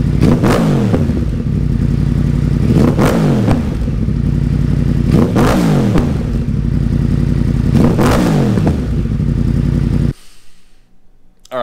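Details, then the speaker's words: Wrecked 2014 Yamaha R1 crossplane engine (deer crash) revved near exhaust: four sharp blips each rising and falling cleanly, then idle cut; crisp, even throttle response, normal revving. "the cross plane Motors are something like no other bike on the market right now these bikes are absolute monsters and I love the way they sound"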